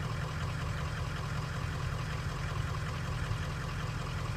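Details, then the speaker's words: 2003 Ford 6.0 Powerstroke diesel with suspected sticking injectors, hard starting: deep idle with an uneven stumbling intermittent miss, load reading rising to about 47-48%; cause not confirmed. "loads 40 you see it's changing as the engine started to miss I don't know if you caught that or not"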